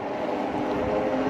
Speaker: you hear the motor kicking all right well this might you feel the motor kick again and then if i'm tired of pedaling just roll the throttle and we out